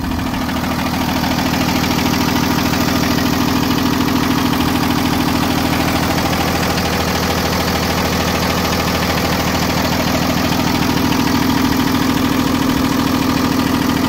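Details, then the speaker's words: 2016 Cummins ISB 6.7L 220HP diesel in a school bus, 74,067 miles and 3,796 hours, start and run with blowby check: steady, even diesel clatter at idle with no knocks or misses; normal idle, good running engine. "that's a good running engine low miles"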